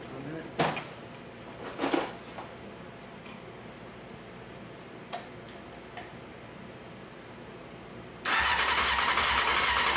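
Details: 1995 Honda CBR F3 inline-four cranked after reinstalling the number four spark plug: the starter spins the engine steadily with an even churn and no uneven beats; compression sounds normal.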